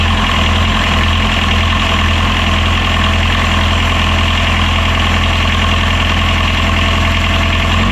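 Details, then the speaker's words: Catamaran diesel genset started with the belt-driven water pump removed, after some 10–20 failed starts in the boat; owner reckons it was flooded with fuel, nothing wrong with motor; steady even idle, firm low drone, no misses, knocks or rattles: normal idle. "Okay, so there's nothing wrong with the motor. Just I reckon it got a belly full of fuel."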